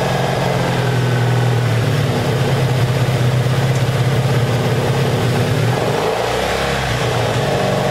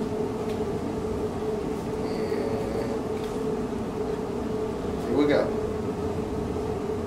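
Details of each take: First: 1984 Honda Saber VF700S V4 after long storage, airbox off: steady, even, low putter at idle with no knocks or misses, a small throttle change near the end; sounds good, though it should run better with the airbox fitted for carburetor back pressure. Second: Abandoned 1984 Honda Saber VF700S V4, cold first start after long storage on a gas bottle, given a little starting help: catches and holds a steady but rough drone; water pouring from the exhaust, still burning off water and oil, smoking.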